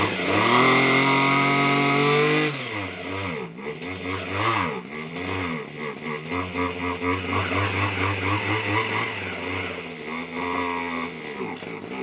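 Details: TITAN hedge trimmer small two-stroke, warmed up after repair: revs high and clean then drops to slightly wavering low idle that keeps running; idle (tick-over) seemed a bit low; running normally.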